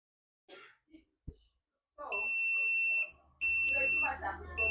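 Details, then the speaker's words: Dell Inspiron 15 3542 motherboard (Wistron Cedar 13269-1 FX3MC), won't power on; a cracked capacitor gets hot, and the meter gives a steady continuity tone three times across it, shorted to ground; capacitor to be removed. "so the capacitor is shorted to ground so I'm going to take out the capacitor"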